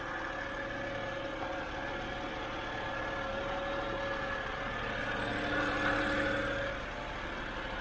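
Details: 2007 BMW 328i E90 after new electric water pump, thermostat and reservoir, warming up: quiet, steady idle with a soft even hum and a faint constant whine, no misses or ticking; engine idling normally.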